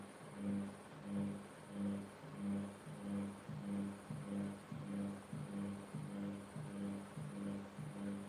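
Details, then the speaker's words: Samsung WF7AF5E0Q4W/EG washing machine with a single very heavy blanket: slow low hum rising and falling about one and a half times a second as the drum turns; motor labouring under heavy load. "It's gonna wake everyone up. You can hear how heavy it is on the motor."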